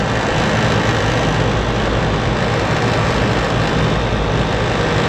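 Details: Rooftop AC unit (RTU) on a no-AC call, where the breaker had tripped, the blower relay dropped out, and burnt main disconnect contacts left low control voltage: both compressors brought on, a steady even low hum with no knocks or rattles; running smoothly.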